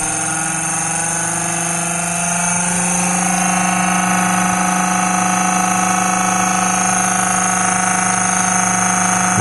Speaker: you can hear that hum and you hear that grinding that's the the cooling fan is cooking up because this thing is just pumping a load of power into those batteries